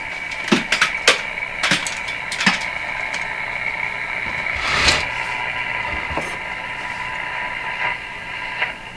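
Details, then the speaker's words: Northern Electric Baby Champ AM radio, all paper capacitors replaced, tuned with the antenna rotated: hiss, crackles, pops and faint whistles; 680 is strong but has heavy interference in the house, so performance is still poor. "there's a voice there that's the six 8680 is a strong station but it has heavy interference in my house"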